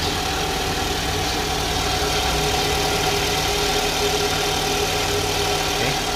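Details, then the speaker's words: 2011 Toyota Alphard Gen 2 (G type) idling after balance shaft and alternator pulley service; before the service the engine sounded very rough. Smooth, steady idle with a quiet even hum and no shake; much smoother than before. "Jadi suaranya seperti itu ya. Sudah halus, sudah jauh lebih halus daripada yang tadi sebelumnya."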